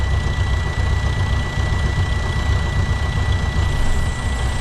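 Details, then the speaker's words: 2011 Freightliner Coronado DD15 diesel after fuel injector and harness replacement and fuel priming fires right up at night into a deep, steady, even idle with no misfire or knock, thin constant tone above. "and she fired right up wow that worked fantastically"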